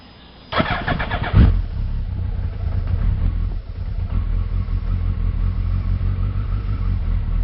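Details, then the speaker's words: Suzuki Hayabusa cold start after spark plug change, choke pushed in, idling just over 1,000 rpm untouched; engine catches and settles into even steady low idle with no misses or knocks, healthy. "that's basically cold start and I push the and the chokes right in so that's just over a th000 RPM and that's good to"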